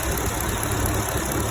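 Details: 2011 Camaro SS V8 at steady idle with a light, fast ticking on top. The cause is unconfirmed: it has been blamed on a bad lifter, failing fuel injectors, or called normal, and the owner doubts it is normal.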